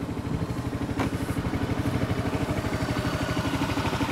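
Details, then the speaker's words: Used Honda Reflex scooter with a four-stroke engine and about 13,400 miles, just after start-up: a quiet, soft, steady putter at about three beats a second with no ticking or misfires, a healthy idle. "It's very quiet."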